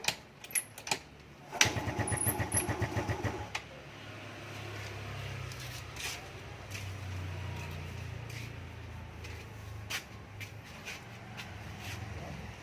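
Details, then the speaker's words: Carbureted Yamaha Fino scooter, hard to start only in the morning (about 9 a.m.), starts easily later in the day: several short starter bursts and sputters fail before it catches into a low, uneven idle; hard cold start. "อ่าYamahaFenoรุ่นคาบูนะครับสตาร์ทยากตอนเช้านะครับแต่ว่าถ้าติดแล้วเนี่ยนะกลางวันเนี่ยมันก็สตาร์ทง่ายนะครับจะเป็นเฉพาะช่วงเช้านะ"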